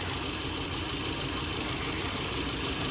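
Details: Kia four-cylinder petrol idling with an uneven, stumbling beat; misfire appeared after valve cover gasket leak soaked the coils with oil and plugs and coils were replaced; pulling coils one at a time finds the dead cylinder.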